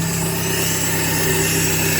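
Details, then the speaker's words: 1995 Suzuki Sierra/Samurai with G13B GTI engine conversion at steady idle: fast, even light ticking following engine speed from ticky hydraulic lifters/tappets; oil additive just added in hopes the noise goes away. "I've had the tappets, the lifters have been a bit ticky. You can hear it, so hopefully that goes away once this additive runs through it."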